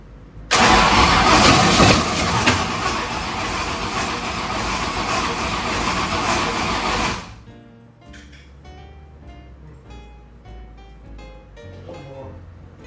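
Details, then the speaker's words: 1965 Ford Thunderbird FE 390 V8 gives long, uneven cranking with a weakening battery and never starts. The owner suspects it is not getting enough fuel. "I'm thinking maybe it's more of a fuel like just not quite getting enough fuel to it right now it's kind of what it seems like but I'm no expert on this for [Music] sure"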